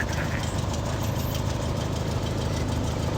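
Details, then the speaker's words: Craftsman YT3000 lawn tractor fitted with a Briggs and Stratton opposed-twin in place of its single-cylinder engine, driving with blades engaged: low, even putter, steady with no stumbles, knocks or surging; sounds healthy. "that Twin Two sounds nice when it Putters like that all righty contact that sounds good"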